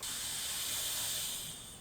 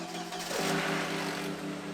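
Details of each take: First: Turbo car intake pressurised to about 10 psi with capped test rig: steady sharp hiss of air rushing out as pressure builds, system not holding pressure; boost leak, owner suspects the diverter valve. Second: Turbocharged car, engine cold, revved while diagnosing a boost leak: engine revs, then two sharp airy whooshes on throttle lift; clean venting, no turbo flutter, so the valve is working properly.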